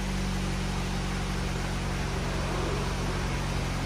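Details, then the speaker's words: 2003 Saturn L200 after rusted exhaust repaired with new gasket: steady low hum, even idle, no rasp or leaky puffing, quiet and sealed, no longer loud. "nice nice and quiet sounds like a normal car"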